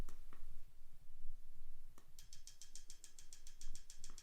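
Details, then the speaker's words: Fuel valve test from the ECU test menu on a new SWIWIN SW220B micro turbine on a test stand: crisp, evenly spaced clicks about six or seven a second, very distinct, valve cycling cleanly; normal fuel valve clicking. "you can hear it clicking very very distinct i know some other turbines i've used not quite as distinct as that"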